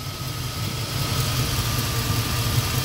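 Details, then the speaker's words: Carbureted 5.3 LS with an MSD 6014 ignition box that failed after about a year and under 10k miles: uneven, lumpy idle with a faint whine, barely changing when a bad cylinder's coil wire is pulled. Either four coils are bad or the MSD box gives weak spark. "nothing i can barely hear it so we've either got so we've either got four bad coils or something's wrong with my msc"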